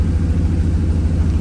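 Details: 1937 Nash coupe, 6.0 Vortec V8, Holley harness, new 58 lb/hr injectors: deep, lumpy idle around 800 rpm, not yet fully warm, with an uneven exhaust thump. One side isn't running.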